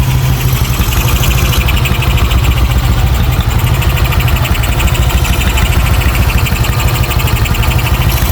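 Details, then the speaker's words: Yamaha Aerox 155 bored to 180cc with 63mm piston, custom camshaft, Moto1 valves, freshly rebuilt, ECU stock and not reset: idle rises and falls in a steady lope, smooth, no knocks, rattles or leaks; just the long-duration cam effect, no problem. "Oke, putaran idle berfluktuasi karena efek poros bubungan. Jika poros bubungan memiliki durasi yang lebih panjang, maka akan seperti ini. Naik turun, seperti kuda, tapi bukan kuda. Ini hanya efek poros bubungan, tidak masalah."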